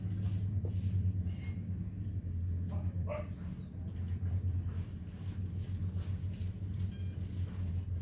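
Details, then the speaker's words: Two XY-P15W mini Bluetooth amplifiers combined, one with its 7805 regulator removed: low steady hum from the speakers with faint higher buzz; audio noise isolator suggested to cure it. "As you can hear the humming is present. There's just a little bit of humming. So I suggest to put a audio noise isolator like this one."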